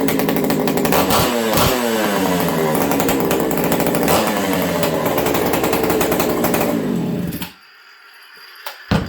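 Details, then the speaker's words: Buckin's ported XL 922 Super chainsaw, an old saw, warming up on a restart: crisp two-stroke buzz rising and falling cleanly with gentle throttle blips while the cylinder is felt for heat, no stumble or misfire; normal running. "Let's see how this thing restarts. Watch what I do here. I blip the throttle, I slowly warm it up."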